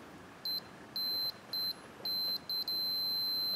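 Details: Multimeter continuity test on new 3 A 250 V 6x30 mm glass fuse for a Blue Hawk small air compressor that stopped working: high beep in short bursts then steady as probes settle; fuse good, old one burnt out.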